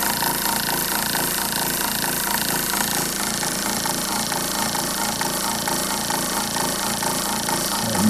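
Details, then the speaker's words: RV water pump motor hums steadily with an even, pulsing beat but no water flows; it runs without priming. Owner suspects a motor fault, unconfirmed, and replaced it with a new self-priming pump. "i got it going i just don't see any water flowing"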